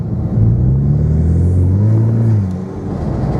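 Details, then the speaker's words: 2015 Mustang EcoBoost 2.3 turbo four with new AEM intake, custom exhaust and tune, revving from low speed: a deep, throaty rumble swells as revs climb, then eases off. A healthy new intake note. "There's the new sound. And a lot more pull it has than before. So it works hand in hand with the exhaust system."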